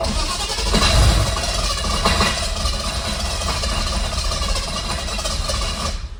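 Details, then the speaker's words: M117E55 V8-swapped Mercedes W115 240D during rewiring, coil crudely fed switched 12 V with old wiring bypassed: long labored cranking with uneven chugging, finally catching into a rough run; engine was flooded. "I think she might be flooded. Yes, she was flooded."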